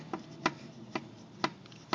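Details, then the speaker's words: Wheel rocked up and down during a suspension check, with sharp metallic clicks about twice a second from a worn, failing lower ball joint. "you know go up and down with it if you can hear that clicking I already know this for a fact my lower ball joint is starting to starting to go bad"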